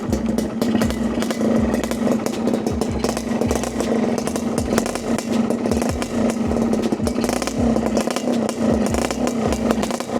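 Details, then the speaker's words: Yamaha 125ZR two-stroke with a pipe exhaust, battery absent, at idle: crisp, fast, steady ring-ding with a light clattering tick from the clutch side, judged normal for a 125 with no problem. "Enjin bunyi sedap senyap eh. Alhamdulillah semua belah clutch lah. Bunyi belah clutch. Ha kelas sikit tak ada masalah. Tu normal untuk 125."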